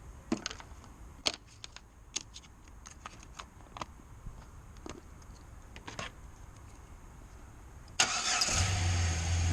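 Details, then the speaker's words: 2007 Chevy Silverado Classic 4.3L V6, crank-no-start from no spark, after repairing and taping the ignition wiring: scattered clicks, then the engine catches at about eight seconds and settles into a steady, even run; normal start. "she's alive she's alive"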